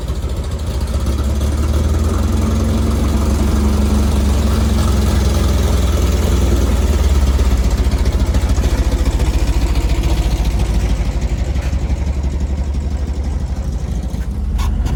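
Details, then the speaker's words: VW engine with dual 34 carbs at start-up after carb sync and tune, with the idle set by ear: steady, even low idle, not too high, holding speed without hunting or stumbling; the carbs are balanced and the idle is set right. "so the idle sounds good it's not too high"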